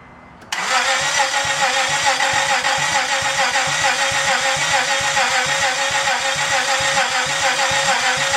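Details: 2004 Honda Pilot, start after engine and transmission swap, after reconnecting the main relay: cranks and fires at once, then settles into a steady, even idle with regular soft pulses, no misses or knocks; healthy.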